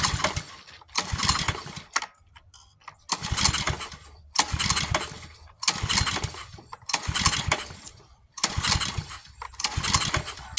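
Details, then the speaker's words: Pressure washer engine with new carburetor: repeated pull-start bursts, each a short rough chug that dies without catching; cranks but won't start, owner suspects flooding. "I might have flooded it. We'll let it it set for a few minutes and then we'll try it again."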